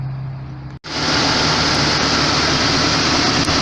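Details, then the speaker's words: 1999 Jeep XJ A/C after refitting clutch with surfaces cleaned and one shim removed: engine idles smoothly with steady compressor hum, no clutch chatter or grinding; A/C working well, previously clutch engaged intermittently. "okay so far the uh air con air conditioner is working really well i think uh cleaning up those surfaces and taking a shim out i think that was the trick"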